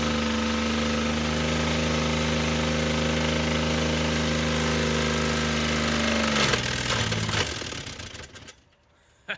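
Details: Toyota pickup engine, damaged by water ingestion, held at full throttle until destroyed: steady pitch with rough pounding, then a sudden clattering breakup and stall as the connecting rods snap. Run lasted under two minutes.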